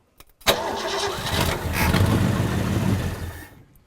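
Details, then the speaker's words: 1963 Ford Galaxie 289 V8 that had a tree fall on it, on first start: it catches quickly and settles into a steady, even idle with no knocks or misses. Earlier concern that one cylinder had low compression seems unfounded. "that sounds yeah decent I mean it really does that doesn't I was thinking once one whole sounded low on compression when it was spinning over but uh no that's good"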